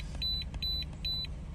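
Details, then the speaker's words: 2008 Jeep Wrangler Unlimited JKU 3.8L V6 after replacing the bank 2 sensor 2 O2 sensor and clearing code P0158: low, steady, even idle with no stumble, already idling much better, with short chimes in the background. "the idle is already better. It's already idling so much better."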